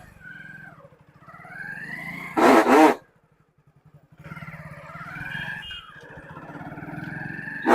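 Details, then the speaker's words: Motorcycle started in the morning and ridden in gear: high squeak and harsh bursts from the rear drum brake when braking, attributed to a glazed, too-smooth drum and dust making the shoes slip. "एक तरीका यह आवाज इसलिए करती है की राम जो होता है वह काफी ज्यादा चिकनाहट हो जाति है"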